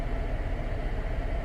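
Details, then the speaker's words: Chevy Traverse 3.6L running after a water pump and belt replacement; it had been found with no coolant. Smooth, even low hum with no knocks, pings or rattles, temperature steady just below 210, normal running. "But it seems to be running okay, and the temperature is holding steady just below 210 according to the gauge."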